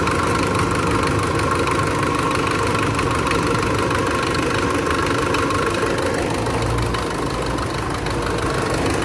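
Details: Mitsubishi engine: uneven knocking over rough idle at roughly three to four beats a second; suspected timing belt issue, valves due for tune-up, cause not confirmed.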